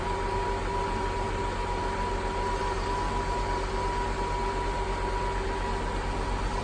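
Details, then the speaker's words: 2000 Mercedes-Benz S430 W220 Airmatic after front left strut replacement, level button pressed, engine idling: steady hum with faint constant whine as compressor fills the strut and raises the car normally. "you have the level left button here the compressor running now [Music]"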